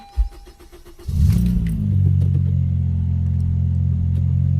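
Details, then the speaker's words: 10th or 11th gen Honda Civic 2.0L naturally aspirated, first start after OEM Keihin fuel injector replacement: a short crank, then it catches promptly and settles into a smooth, even low idle with no stumble; normal start, repair successful. "It's gonna take a bit to start up because there's no fuel. I heard the fuel pump, so we're in good luck. Let's go and try it."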